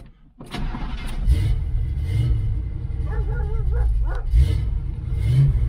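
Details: 1969 Chevelle Malibu V8 converted to HEI distributor during restoration: brief crank, then catches and settles into a deep, steady, even rumble with no knocks or misses; normal start and idle.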